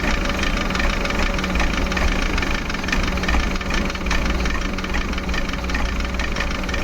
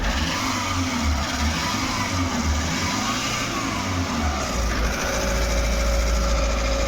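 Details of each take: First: Maruti Suzuki Eeco petrol/company-fitted CNG, check engine light on, low pickup: rough, lumpy idle with uneven thumps and heavy shaking; misfire traced to faulty MAP sensor, code P0108. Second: Maruti Suzuki Eeco petrol/CNG after a new MAP sensor was fitted, having had DTC P0108, misfire, vibration, check light and poor pickup: the engine revs and settles smoothly and stays stable with AC on, no jerks, no fault codes.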